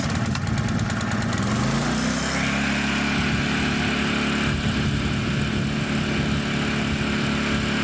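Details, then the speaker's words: Honda EZ1800 generator after the carburetor was cleaned, a new fuel line fitted and fresh 91-octane fuel added: brief rattle as it catches, then a steady, even drone with no misses or surging. Idle is then set to 3600 rpm. "And to wrap things up, with the engine running, I used the idle adjustment screw to set the engine's RPM at 3600, which is what the Honda service manual recommends."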